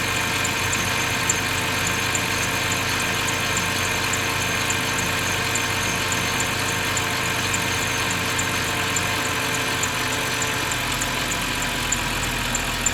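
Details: BMW 530i at idle: even idle with a thin, high chirp repeating under a second apart from the engine bay; squeak, source unclear.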